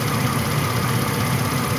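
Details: 1998 Chevy C1500 5.0L V8, 102,000 miles, at idle: fast light ticking over the rumble in the engine bay, owner suspects the rotor area; source not pinned down.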